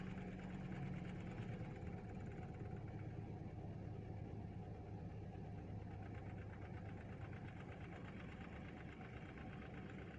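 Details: Toyota EFI engine after repair of rough start and missing: low, even idle hum with steady beat, no stumbles or misses; idle settled smoothly.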